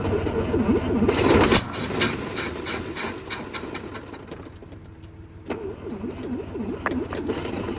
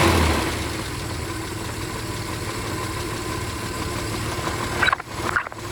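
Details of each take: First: 1968 Kaiser Jeep M725 military ambulance, unrun for 15+ years, on jumper cables with a boat tank hooked up; the starter whirrs at about four turns a second and the engine catches briefly on starting fluid, then dies. It appears to run only on starting fluid, with the carburetor getting no fuel. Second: 1968 Kaiser Jeep M725 military ambulance, first run in 15+ years, cold, on an electric fuel pump after carburetor rework; a steady, even idle with no knocks or misfires, just some handling noise near the end. No oil pressure.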